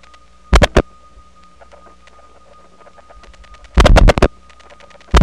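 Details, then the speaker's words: Atlanta TRinity step-by-step exchange, recorded January 1979, while dialing into an ESS office over a wire trunk: a faint steady high tone under loud dial-pulse clicks is not signalling but an adjacent trunk oscillating during dial pulsing because of its repeaters; trunk crosstalk oscillation tone. "now that sounds like some sort of interesting interoffice signalling protocol where it uses a tone to communicate from one side to another but it's actually just an adjacent trunk that oscillates during the dial pulsing thanks to the repeaters"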